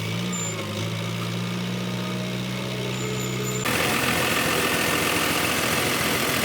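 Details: Jingong 30 diesel engine during overhaul for an abnormal noise, after a cylinder liner burst and the piston was smashed: steady, even idle with a smooth low drone and no knocks, then louder running; engine sounds healthy.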